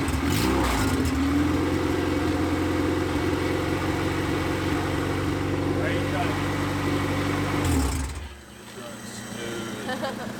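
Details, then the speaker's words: 1993 Honda Civic EG hatch, built LS VTEC (Manley rods, CP forged pistons, CSS, built B16 head, GSR cams, stock injectors, no turbo) on first start, open header, no throttle cable: steady even idle, crisp rasp, no misses, then shuts off; running smooth. "It's running smooth, boys. Let's go. Let's go. Baby, boys."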